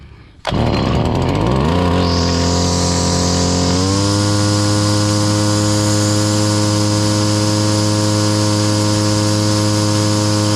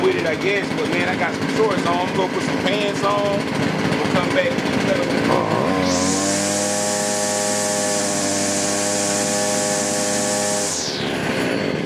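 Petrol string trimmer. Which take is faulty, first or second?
first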